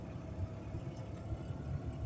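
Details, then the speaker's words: PT Cruiser engine at idle: low idle surging and dipping unevenly, really jumping; owner believes engine rebuild needed, cause not confirmed. "yeah ah unfortunately looks like it's time for engine rebuild time there's really nothing more we can really do about it but yeah and it's not going to get better"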